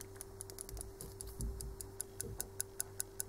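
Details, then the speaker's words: Common-rail injector on a homemade tester: faint uneven clicking settling into sharp ticks about five per second; the injector solenoid sounds irregular, suspected misassembled. "No nie wiem czy to słychać każdym bądź razie ja myślę że słychać prawda wyraźnie słychać rzece wycieczka elektromagnesu która jest w tym wtrysku on jest chyba źle złożony"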